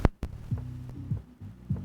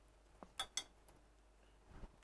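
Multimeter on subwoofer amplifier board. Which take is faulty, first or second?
second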